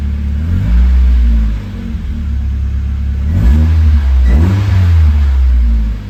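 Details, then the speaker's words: Hotwired NB Miata with 124,000 miles being revved: smooth, steady four-cylinder hum with clean rises and falls, no knocks or rattles; sounds pretty healthy, normal running, judged worth saving. "well y'all I just hotwired my first car at the age of almost 40 not going to last it sounds pretty healthy"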